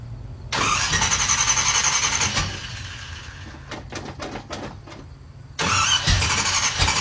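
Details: OBS Chevy truck, just got running: cranks briefly and catches, settles to an even idle, then picks up again cleanly; starts and runs fine.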